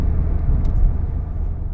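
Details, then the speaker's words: 2003-2013 Toyota Corolla road test after wheel bearing replacement: at 34-35 and 45-50 mph only smooth, even road rumble, no hum or growl; noise gone, confirming the replaced bearing was the bad one. "so right now at 34 35 and it sounds good okay 4550 and the noise is gone so that mean that bearing is bad"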